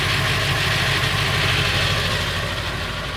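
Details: Late 1999 Ford F350, 7.3L Powerstroke diesel at idle: rough metallic rattle over the clatter, roughly three per second; noise more pronounced under the truck; cause unconfirmed, owner wonders flexplate or engine.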